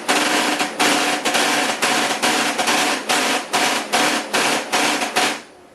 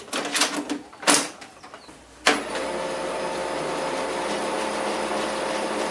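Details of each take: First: HP LaserJet 4015n printer with a fuser error, viewed from the rear: loud, harsh rattling bursts about twice a second. The fuser gears show no wear, but the gear skips when meshing. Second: HP LaserJet 4015 after repair: a few clicks, then a smooth steady run hum with no rumble; fuser gear noise cured by denting the metal frame inward so the latches hold the gears without play.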